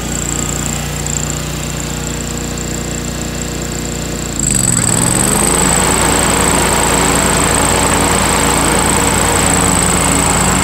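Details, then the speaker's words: 2003 John Deere X485 garden tractor, 25 hp liquid-cooled Kawasaki EFI engine, about 660 hours, fuel pump just replaced: catches quickly and settles into a smooth, even twin-cylinder run with a steady high whine above; normal running. "let's go ahead and start this mower up so you can hear what it sounds like and see it in action and then we'll do a quick walk around the machine"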